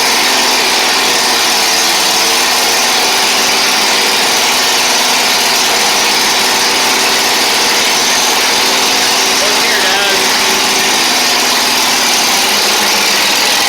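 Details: Kohler Command twin on a Toro Z Master that had run on one cylinder, after repair: steady, even, fairly high-pitched idle with no skips, both cylinders sounding like they fire; smoke burning off the exhaust.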